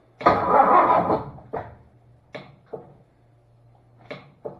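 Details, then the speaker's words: 1966 Ford Fairlane GTA, new flywheel and transmission just bolted in: long cranking groan, then short separate clunks and hesitant engagements; starter binding tight against flywheel, poor connection also suspected. "Sounds tight on that flywheel, doesn't it? It did hit once, didn't it, or not? The starter's kind of tight against that flywheel."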